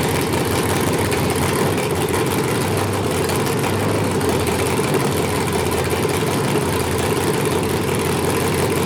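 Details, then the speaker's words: 5.3L LS truck engine on MegaSquirt 2 with stepper IAC, steady idle drone stuck at a raised speed and not dropping to target; owner suspects engine not warming enough, coolant-temperature hysteresis setting questioned. "interesting it didn't come down i must not be getting too warm up at all i wonder why that is"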